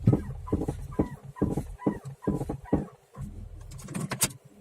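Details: Suspension rocked by hand: dull clunks about twice a second, each with a short rising creak; owner asks whether ball joints could knock and squeak this way; new straight parts, contract uppers, no anti-roll bar fitted; cause unconfirmed.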